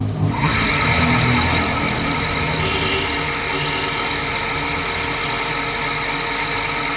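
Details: Electric scooter BLDC hub motor after a bearing change, with the mic held close: a steady, even electric whir with a thin high hum and no grinding or knocking; before the change it made a grinding noise.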